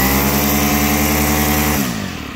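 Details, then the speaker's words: Stihl string trimmer that stalled and overheated when hot in ~100°F heat, after fix (tank vent replaced); steady, even high-pitched two-stroke buzz holding speed cleanly, no hiss from the cap, then winding down as it shuts off; running normally. "It didn't make the noise. So usually it goes tss. Yeah. So it's working."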